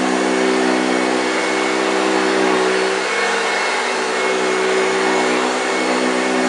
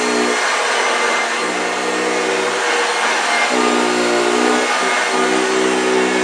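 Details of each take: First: 1965 Hoover Junior 1334A upright vacuum on carpet: steady, strong motor whine with the characteristic deep growl from the brush, slightly dry-sounding, no rattles or speed dips; healthy, picked up everything. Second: 1965 Hoover Junior 1334A upright vacuum running: loud steady roar with a coarse, rough motor growl that shifts as the cleaner moves; the motor sounds a bit dry but the machine performs well.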